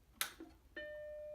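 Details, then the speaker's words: Vintage 1988 Macintosh Plus, damaged in shipping and rattling inside, powered on: a switch click then a single clear chime under a second; computer turns on normally. "the chime it's turning on and that is it turns on"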